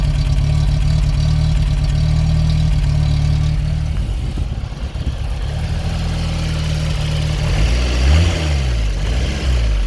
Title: X1/9 rough idle and rev